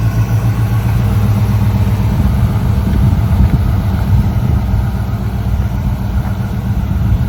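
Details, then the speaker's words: 1965 Ford Ranchero after a new cam, lifters and timing chain to cure a valvetrain tick, first run held at 2,000 rpm for cam break-in: deep, even rumble with no ticking or knocking, healthy fast idle. "We're gonna let it run at 2,000 for about 20 minutes, break the cam in, and then we'll drop it back down, check the timing, do all of that stuff, and then go take it for a drive."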